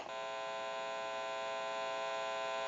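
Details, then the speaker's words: Amplified pickup used for final checkout of a repaired 2500 desk telephone, button pressed: constant steady electrical hum with a buzzy edge; mains hum from the open amplifier picking up interference, not the phone. "since it's an open amplifier it is prone to any static interference or noise in the atmosphere I'm going to go ahead and press the button you may hear a little bit of an electrical hum"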